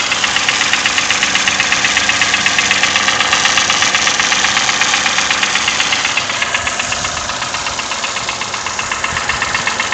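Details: Toyota 1KR-FE engine with new timing chain, tensioner and guide: sharp, very regular knock about four times a second over the idle; engine knock of unknown source.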